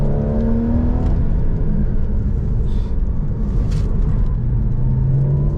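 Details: Porsche Boxster 981 with PDK, after replacing the damaged oil pan with an RR Racing billet deep-sump pan instead of the quoted new engine, first drive: engine pulls with a smooth rising growl through the gears, no knock, rattle or stumble; healthy under load.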